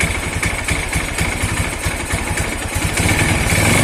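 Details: Single-cylinder motorcycle idling with a steady thump after valve clearance adjustment at TDC, with no light ticking from the head; valve train sounds quiet and healthy, normal idle.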